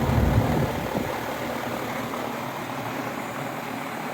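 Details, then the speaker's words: Outdoor AC condenser fan after its dry, squeaking motor bearings were oiled and the coil cleaned: steady low hum and smooth, even whoosh with no squeak or chirp. As quiet as it has ever been. "and that's about as quiet as I've heard it"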